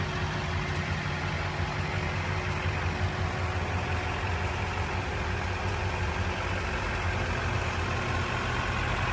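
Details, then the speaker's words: 2005 Chevrolet Silverado 2500HD 4x4 automatic, 6.6 Duramax diesel, 20,000 original miles: quick, easy start, then steady, even, very quiet low diesel clatter at idle with no misses or knocks. Normal, smooth diesel idle. "quick easy starting duramax very quiet [Applause] smooth"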